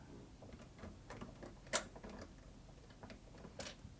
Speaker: you may actually be able to see the needle pinging off the Looper comes up just here that little tick there